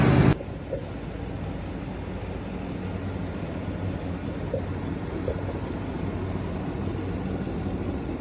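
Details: Ford Super Duty after fixing a no-start caused by a rotten wire: brief start burst, then steady, even low rumble with no misses or knocks; idles smoothly and normally.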